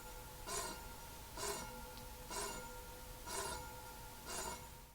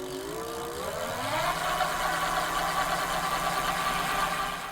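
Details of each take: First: Electric bike rear disc brake with the rotor too close to one side of an off-center caliper: light metallic tick about once a second as the wheel turns from rotor rub; fixed by loosening the two caliper bolts with a 5 mm hex key and realigning. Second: Electric bike hub motor spun at high rpm in the air with no rider or road load: whine climbs in pitch, then holds a steady high note; normal motor noise, similar to running at full 28 mph on the road.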